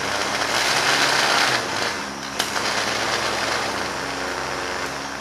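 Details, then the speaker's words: Starter from a non-running 1971 John Deere 140 H3 tractor, bench tested: steady high whir with a light brushy hiss, spinning freely and evenly. The starter itself is fine. "cool comes over so the starter is good no problem there"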